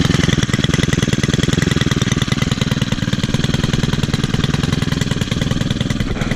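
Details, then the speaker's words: Four-stroke string trimmer started on one pull after sitting almost a month. Quick, crisp, even fast idle with no misses, quieter than two-stroke trimmers. Normal, healthy running. "You know, with it being a 4-stroke engine, it's much quieter than any of these 2-stroke trimmers."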